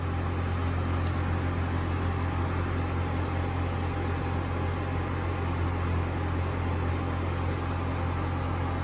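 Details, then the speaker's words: Denbig portable air conditioner running with its fan on high. A steady low hum carries a buzzy rattle because the unit resonates against the wooden chest it sits on. Vibration resonance from the mounting surface. "yeah you probably wouldn't hear that vibration if it wasn't on that wooden chest there"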